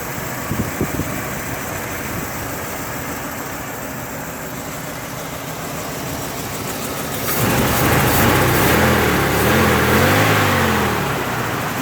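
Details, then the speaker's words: Restored 1969 Ford Bronco half cab V8 in 28°F weather, after running a while: steady even idle with soft regular pulse, quieter than at cold start, no ticking, knocking or smoke; mechanically sound. "the engine's a bit quieter now I think it just needed to run for a while"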